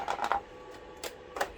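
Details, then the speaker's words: Optoma EH341 DLP projector at power-on: short clusters of dry ticks and clicks come and go without a smooth spin; color wheel tries to start, can't, and projector goes into shutdown/error; failing color wheel, replaced. "Takes a couple moments for it to start. Come on, go. That's the color wheel. Color wheel's trying to start, it can't, and it's then going into shutdown / error."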